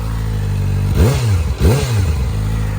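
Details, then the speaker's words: 2023 Kawasaki ZX-4RR, 400 miles, just had first oil change: steady idle (gauge shows about 1750, manual says 1400), then two quick clean blips rising and falling smoothly; revs crisply without clatter or misfire, healthy. "sounds pretty good even stopped it's uh quite the screamer once it gets up near 1415"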